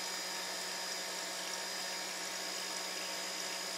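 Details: Silent air compressor with mineral (baby) oil added, filling an empty tank in about 2 minutes. Before the oil it held only about 40 psi and bypassed. Steady, even hum and airy hiss with faint oil splashing, no knocking or laboring; it runs normally.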